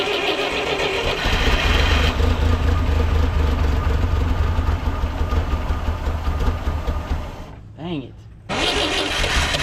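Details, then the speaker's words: 1958 Lull telehandler/cherry picker after 15 years parked, carburetor missing its linkage: uneven sputtering run that catches, dies out, then fires again; won't keep running, fuel mixture suspected, not confirmed. "see it sounds like I got it and then it quits running"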